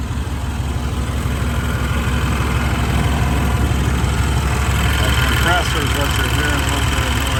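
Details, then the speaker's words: 1992 Chevrolet Blazer Silverado 4x4, 5.7 V8, automatic, new battery, custom exhaust, with AC running: steady, even V8 idle with smooth regular burble, no knocks or misses, slight AC compressor noise; engine sounds healthy. "out of that compressor Run's nice and smooth"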